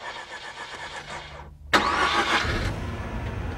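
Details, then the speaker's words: Mazda RX-8 rotary, flooded-engine start after de-choking (accelerator floored, cranked about 7 seconds): short cranking, a pause, then a sharp burst settling into a rising idle; smoke from the exhaust may follow. "after starting a flooded engine you may see smoke from the exhaust if the engine doesn't start don't crank it for more than 10 seconds or you may weaken the battery"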